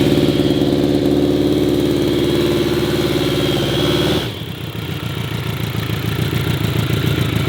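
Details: Rare vintage Yamaha Phaser motorcycle, cold idle on choke with carbs working well: a steady, even multi-cylinder idle that drops to a lower, softer beat after a few seconds, and the bike runs cleanly.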